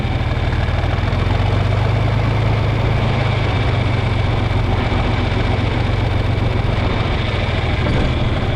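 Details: Deep, steady diesel idle with an even low thump, no knocks, misses or hunting, on a John Deere 4020 tractor after fuel-problem troubleshooting; belt sounds slightly slipping, no leaks, clean fuel in filter; running fine.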